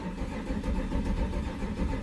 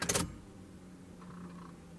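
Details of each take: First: 1993 Chevrolet C1500 Silverado with swapped-in Corvette LT1 V8, fuel pump heard priming after cycling the key: low steady starter churning for about seven seconds without a single firing; cranks but no start. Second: 1993 Chevrolet C1500 Silverado with a swapped Corvette LT1 engine, key cycled to build fuel pressure before cranking: a click, then a faint, steady low hum for about two seconds with the engine off. Normal fuel pump priming.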